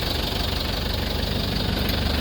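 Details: 2003 Mitsubishi L300 Solar diesel pickup at idle: steady idle with a rough, uneven knocking underneath; worn piston rings letting compression blow by, engine judged to need an overhaul.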